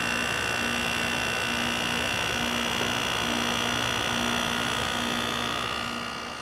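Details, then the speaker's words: 2000 Quasar Cool Look HQ2061FH 6000 BTU window air conditioner just switched to low cool: steady even hum with a constant high whir, no rattles or clunks; compressor came on and sounds nice, running smoothly. "There's low cool. Came on. Compressor sounds nice."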